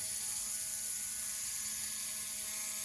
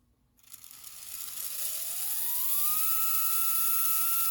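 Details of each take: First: Bowser PRR M1 4-8-2 HO steam locomotive kit with a DC71 motor, first test run: a thin steady high whir with a faint buzzing rattle; a vibration noise suspected from the worm, needing oil, and the gear mesh is slightly loose. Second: Bowser PRR M1 4-8-2 HO scale steam locomotive kit, DC71 motor: clean whine climbs, holds, winds down with no catching after loosening a screw that pressed the rear axle bearing; chassis now runs freely.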